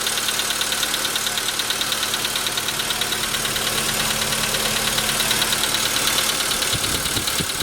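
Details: VW Jetta V engine at idle, with a crisp metallic knock about three times a second clearly heard from 15 seconds in; piston knock, later confirmed by the dealer, and pistons replaced under warranty.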